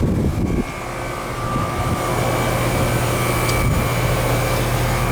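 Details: Central AC with TXV, first-floor system that was icing up, running after air handler control board replacement (old board corroded and burnt) and filter change, before checking charge: steady fan whoosh, even compressor hum, faint high tone; no knocks or rattles.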